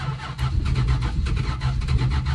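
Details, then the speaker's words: 1974 Dodge Dart Sport slant six, off the road 17+ years, no coolant: steady starter churn with odd cylinder catching then dropping away, never running alone; intermittent ignition, battery dying. "sometimes there's an ignition too I don't get it come on you can do it"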